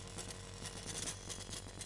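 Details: Low motor hum with fast, scratchy grinding rasp from a Eurorack mechanical sequencer; the spinning card disk rubs and grinds because its mount lacks a washer.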